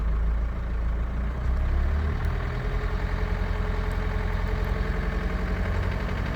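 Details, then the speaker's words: Renault Kangoo 1.5 dCi K9K with Delphi injectors at 1250–1400 rpm: sharp uneven clatter; injector knock, three of four injectors under-delivering by about half a cc at idle. "Рено 1.5 DC и k9k стук форсунки на 1250 1300 1400 оборотов"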